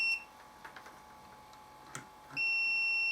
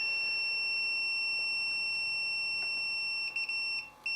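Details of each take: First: Samick KS10 guitar amplifier on the bench, multimeter continuity test across its internal fuse: short high beep then a clean steady tone, fuse not blown and intact; next step is checking continuity from power cord to transformer primary. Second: Samick KS10 guitar amplifier, continuity meter on the power switch: steady high meter beep cuts out and returns irregularly as the center lead is moved; intermittent power switch contact, loose pin or worn rocker contact.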